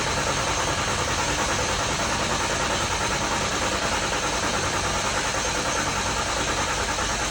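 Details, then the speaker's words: Freshly rebuilt engine cranked with injectors disconnected to prime oil: even starter whir with rhythmic pulse about 100 per minute, no clunks or grinding, not firing; cranks cleanly but takes lots of starter power. "I'm gonna get a jump box on this thing just so the batteries don't get weak. It takes a lot of engine, like starter power, to turn this over."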